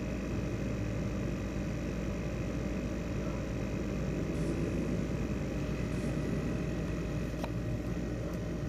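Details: ASUS X543UA laptop CPU fan with worn bearing: steady rough whir, low rumble and faint whistling after it began rattling.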